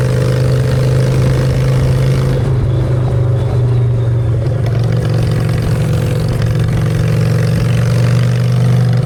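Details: Honda Shadow V-twin with new custom exhaust pipes, on choke in neutral: steady, even low thump at idle with a brief blip of revs, beat stays regular; runs healthy, normal idle and revving.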